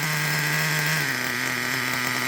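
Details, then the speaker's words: Traxxas Revo 3.3 nitro engine: fast, buzzy idle that hangs high and shifts pitch without settling, not getting enough fuel; lean mixture causing high idle. "it's too lean. Let me show you again. If that's how your truck is running, like I said, not getting enough fuel. It'll sound like that."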